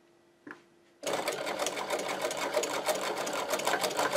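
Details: Servo-driven Podolsk sewing machine sewing leather with a roller foot, thread held for the first stitches; even stitching about three a second after the motor spins up, no clunks or binding: sewing cleanly.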